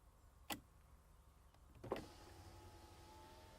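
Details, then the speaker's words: Skoda Fabia Mk1 1.9 PD front door after replacing the electric window regulator and carrier, ignition on, reset done: click and clunk, then smooth steady motor whir, no grinding or binding; window works normally. "Put the key in ignition, turn it on, and hey presto, it works."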